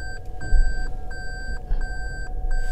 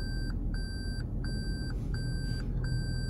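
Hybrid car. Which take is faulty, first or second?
first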